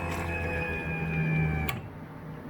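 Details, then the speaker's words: V8-swapped Datsun 620 with new harness, fuel system and no coolant system, key cycled again before first start in months: short steady electric hum with faint whine stopping after a couple of seconds; pump primes, fuel returning, rails pressurized. "You probably can't hear it on the camera, but I can hear the fuel returning and dumping back in. So we've got fuel in the fuel rails. That was it, really pressurizing."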